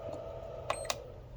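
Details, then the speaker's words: Two short, sharp beeps over a faint steady hum: normal end-of-charge signal from a Lectron Pro AC/DC Duo LiPo charger. "and when it's finished charging you'll hear a series of beeps it'll say end or full it will say full when that's done you hit stop"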